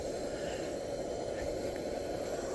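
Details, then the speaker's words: Antique 1948 Major 236 lantern, pumped up and lit after it arrived disassembled: a smooth, even burner hiss with no sputter or surging, running cleanly as normal. "let's turn out these lights man I love the sound of this thing you hear that steady little"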